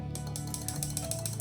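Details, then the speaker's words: Homemade taser on a 12 V DC supply, 555 oscillator switching a relay through a MOSFET to drive a transformer, rapid steady relay clicking several per second over a low hum; normal relay clicking. "You can hear it clicking. That is because uh the 555 chip is is switching the relay through the MOSFET and it just does that all the time whenever it's plugged in."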